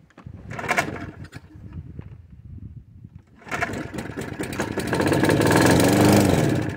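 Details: Toro Personal Pace self-propelled push mower, sitting four years, good oil and compression, spark plug checked: pull-start catches and rises to a steady, even drone; starts and runs fine.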